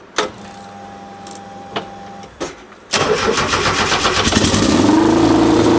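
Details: 1973 VW Super Beetle with swapped Subaru turbo engine (EJ255 short block, naturally aspirated heads): starter catches, steady even run with rising whine as it warms, smoky exhaust; alternator charging about 14.5 volts, sounds healthy.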